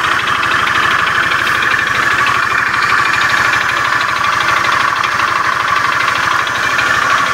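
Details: Beat FI scooter with a rough starter, idling in the workshop: a loud, even idle with a rough, uneven clatter (klotok-klotok) running through the engine. The mechanic is analysing it; cause not stated here.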